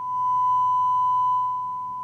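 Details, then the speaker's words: Marantz 2250B receiver after preamp repair and relamping: steady, pure 1 kHz tone with no crackle, dropout or buzz; output sounds clean. "as you can hear in the background now we have a nice"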